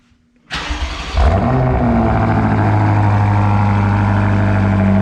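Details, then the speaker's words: BMW F95 X5M just fitted with a Dinan muffler, cold start: it cranks, catches, flares to a loud deep rev, then settles into a steady, even, throaty idle as it warms up. Healthy cold start and idle. "oh the purple interior this thing is sick Bro it is super sick it's nice yeah all right we we'll let her warm up and we'll probably get a clip of the guy ripping it out of here oh yeah that'll probably be the next thing oh yeah sounds nice"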